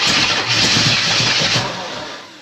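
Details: Chevrolet El Camino of unknown engine, bought cheap, fed gas in the carburetor: cranks and catches for a second or two with ragged firing, then dies; timing is off, the distributor is moving, and it needs steady fuel.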